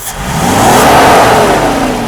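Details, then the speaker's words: 1989 Mercedes W124 300CE-12 M103 after fuel distributor overhaul, new injectors, fuel pumps and airflow sensor: throttle blip rises cleanly and drops back evenly, gauge swinging left to show deceleration fuel cut working; normal rev and deceleration fuel cut. "至于说它这个减速断油的功能我们来看一下它减速断油的功能。OK，好，大哥加油。退油的时候它会往左边跑代表它是在减油的状态。"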